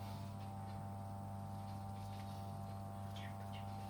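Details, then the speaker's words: Repaired 1956 vintage electric fan, first power-up after reassembly with a new plug and cord: steady low hum and even whirr with no rattle, scrape or ticking; motor runs smoothly with plenty of power. "seems to be working well it seems to be working yeah that's got heaps of power oh that is a success"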